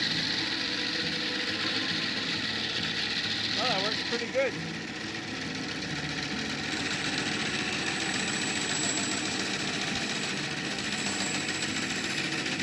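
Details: Antique wooden bandsaw bought at auction, on its first run after being plugged in. A loud, steady hum and rattle at even speed with no catching or knocking; noisy but works fine. Normal running.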